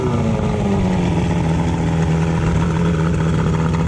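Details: Boat engine that hadn't run in over a year, after a new starting battery, new spark plugs and plug cables: a steady, even low engine drone with no misses or knocks; it has caught and runs smoothly.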